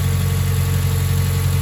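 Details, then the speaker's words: Mazda 3 cold idle after new NGK spark plugs and breather filter, relearning idle: even, steady low hum with no stumble, misses or hunting; normal. "look at the engine I mean so far it's holding up pretty good just trying to relearn the idle again"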